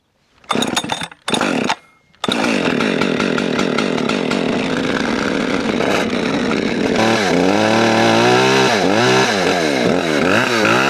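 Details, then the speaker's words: Husqvarna 564 XPG auto-tune chainsaw, not run in two weeks, pull-started cold: runs flat and lazy, bogging, then after shutting off and restarting picks up sharper rising and falling revs; owner unsure why. "You can kind of hear how it was bogging before, and then once you shut it off and restart it, it got more RPMs."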